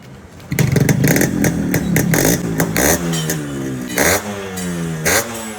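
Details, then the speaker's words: Restored stock Yamaha RX135 two-stroke motorcycle, only tank and side-panel colour changed: crisp two-stroke crackle with repeated throttle blips rising and falling cleanly, no misfire or rattle; healthy sharp exhaust beat after restoration. "இந்த வண்டியோட beat sound கேட்டிருப்பீங்கன்னு நினைக்கிறேன். இந்த வண்டியோட beat சவுண்டும் சரி, இந்த தீமை பற்றி சொல்லவே தேவையில்ல."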